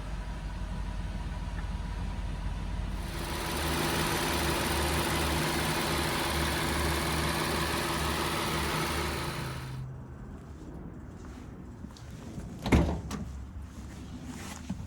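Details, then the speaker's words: Rolls-Royce Phantom cold start after five months sitting, old batteries revived by a conditioner while plugged into a charger: engine catches and runs with a loud, even roar, then settles quieter; healthy cold start, no knocks or misfire. "It's not an old start, but it is a cold start."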